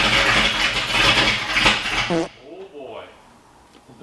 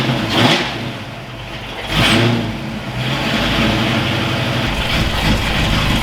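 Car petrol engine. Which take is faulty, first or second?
first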